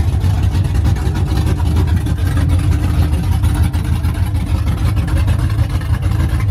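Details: OBS truck V8 finally running after fixes, straight headers, first fire-up in the morning: deep, loud, steady burble with an even lope and no misses or stumbles. Smooth healthy idle, running as supposed to.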